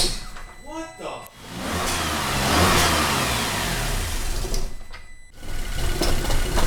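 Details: 2008 Cadillac CTS 3.6L direct-injection, six months after timing chain replacement, catches, surges and stumbles across repeated start attempts; bad cam phasers, fixed by replacing all four phasers and the thrust washer.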